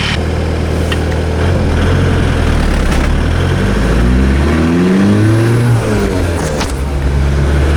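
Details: 1986 VW Golf with swapped 1.9 TDI ALH diesel, mechanical Bosch VE pump, Garrett T25 turbo: uneven, stumbling revs through rise and fall; misfire at certain revs under light or no load, worse in winter, cause unknown.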